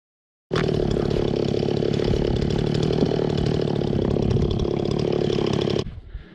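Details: Stihl 026 chainsaw, long-neglected and restored with a cleaned carburetor, cutting firewood with a dull, rust-freed chain: a small two-stroke buzzes steady and even for about five seconds, then cuts off cleanly. It runs awesome despite the dull chain, which is normal running.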